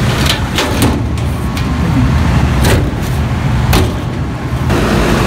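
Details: American furnace blower running after replacing a cheap failed part that stopped airflow and iced the A/C lines: strong, steady low rush of air with a few panel-handling clanks; blower smooth and healthy.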